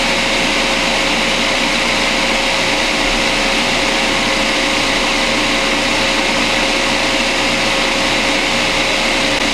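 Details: Refrigerant recovery unit pulling refrigerant from a Whirlpool ABB2224WEB2 refrigerator (not cooling, failed compressor) before compressor replacement; loud, even motor roar with a steady mid-pitch hum and no knocks or surging, running normally.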